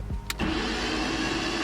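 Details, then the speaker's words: BMW E36 Touring on LPG, 273,000 km, battery just fitted: starter whirs fast and even with no compression pulses or firing; cranks but won't start because the coil and spark plugs are missing. "Yeah, it sounds like we have no spark plug in. Yeah, I didn't saw that coming. We don't have a coil, and the spark plugs are missing as well."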